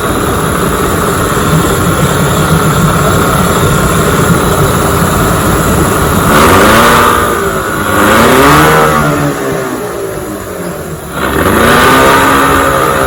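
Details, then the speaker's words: 1996 Johnson 15 HP two-stroke outboard, running on 40:1 mix instead of the specified 50:1 so it smokes a little. Steady buzz that rises and falls cleanly with the throttle, pumping water; normal running. "she's smoking a little bit I got a 40 to 1 mixture in my gas because I work on the older Motors so it should be 50 to one so it smokes a little bit it runs pretty good"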